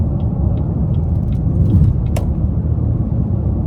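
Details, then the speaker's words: 2014 Chevrolet Impala at about 73 mph after a right rear hub bearing replacement, tires at 36–37 psi: steady low road rumble with no hum, whir, wobble or shake. The earlier shake is now blamed on a tire as well. "Yes, sir. Nothing. No noise, no little shake that I was hearing, no nothing."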